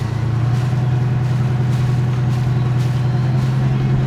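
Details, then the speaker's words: Boat diesel engine and transmission after repeated ATF fluid changes, run in gear at raised RPM: steady, even low drone with no knocks, whine or the earlier grinding; sounds healthy. "Okay, I don't hear anything weird so far. Nothing obvious so far. Sounds okay."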